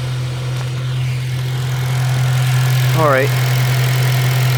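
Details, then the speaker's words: 2006 Honda Civic Si (8th gen, K-series) at idle after replacing the PCV valve: smooth, steady idle with even firing. The earlier scratchy, sandpaper or marble-like grinding near the idler pulley at startup is gone, and light background clicking is normal for K-series. Normal idle. "hopefully you guys can hear me, but I don't really hear the grinding noise anymore."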